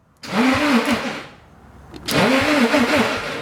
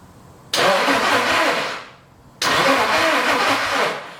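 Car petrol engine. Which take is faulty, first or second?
second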